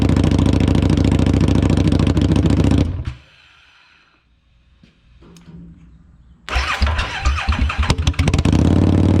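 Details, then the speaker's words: 2017 Harley-Davidson Street XG750 liquid-cooled fuel-injected V-twin engine after shipping damage, run briefly without coolant: deep steady idle thump, briefly cuts out, then fires and settles evenly. "It runs. Super excited, super happy."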